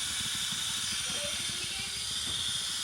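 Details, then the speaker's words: 1991 Pontiac Firebird Trans Am that overheated: a steady high hiss over a faint low idle as pressurised coolant escapes from the hose connecting to the 15-year-old water pump, which gets replaced. "It's coming from a hose down there. The hose that connects to the water pump."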